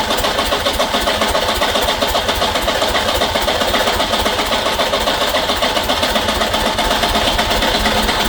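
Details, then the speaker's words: Peugeot 504 diesel parked since 1987, fresh diesel added: starter churns steadily about three to four turns a second but engine never catches, starter labouring; owner guesses a valve train problem, not confirmed. "at this point I'm getting pretty frustrated I'm very confused and why it still won't start and the starter is having a really really really bad time"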